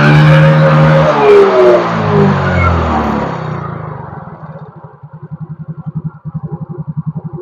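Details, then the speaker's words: Yamaha Mio GT scooter after replacing the failing idle speed (ESC) sensor with a manual adjustable workaround: revs fall and settle into a steady even putter, about four beats a second, no hunting; idle stable. "Mantap, ini kita coba tes lagi. Stabil stasionernya, jadi kita bisa perkirakan handle-nya seberapa, feeling aja."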